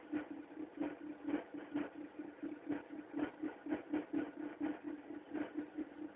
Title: mk3 1.4 mono bad engine sound then cold